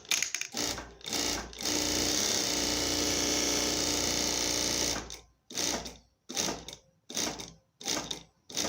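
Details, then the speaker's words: Siruba electronic straight-stitch sewing machine after an error 7 repair in which the motor encoder connector was replaced with a DB9. It runs a long, even stretch of crisp stitching chatter, then short regular bursts; it sews normally and the fault is resolved. "Aqui a máquina ligada, tá bom? Aparentemente respondeu direitinho. Vou pisar para costurar."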